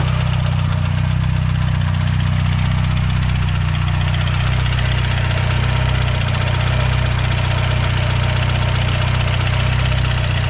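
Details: Loud, hard rod knock about four times a second, locked to engine speed over a heavy idle rumble, on a fully built Mazdaspeed 6 engine that failed; a spun rod bearing knocking.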